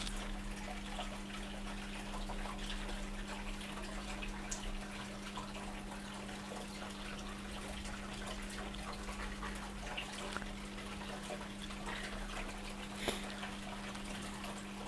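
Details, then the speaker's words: Hotpoint NSWM 1043C W UK N 10kg inverter-motor washing machine on a test wash: steady low drain-pump hum at one pitch with water trickling; water nearly out after two minutes, draining normally. "two minutes the water is nearly out it's draining away"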